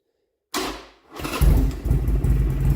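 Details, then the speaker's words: 2007 Buell Lightning XB12SS, first start since about Christmas after sitting all winter, new Rev Moto exhaust and fresh spark plugs: starter spins briefly, engine catches instantly into a strong, lumpy idle with no misfire or stumbling; normal cold start. "it has not ran all winter and i put this exhaust on from rev moto sounds really good though but this is definitely the first start in a long time well probably since christmas i don't hear it misfired or nothing"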